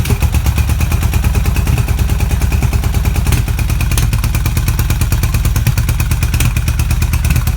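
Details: BMW R80 cafe racer twin with exhaust baffles drilled straight through: a loud, deep, even thumping at about three firings a second with no knocks or rattles. Normal running, just noisier through the freer exhaust.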